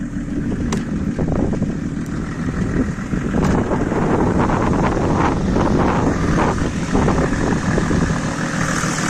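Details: Mercedes W124 OM606 diesel, straight-through exhaust, revved while parked with the car smoking heavily: irregular puffing knock over the exhaust note. The owner suspected a boost leak or turbo; the cause was a cracked turbo manifold pipe leaking.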